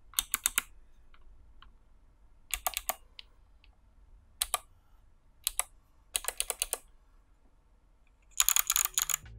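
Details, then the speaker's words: Hotswap 60% PCB mechanical keyboard built without soldering: bursts of crisp, loud key clacks with no buzzing stabilizer rattle, because the stabilizers were lubed. "and loud as expected this does cover the sound of the snare glasses but you can also hear that there was no rattle because I lived them"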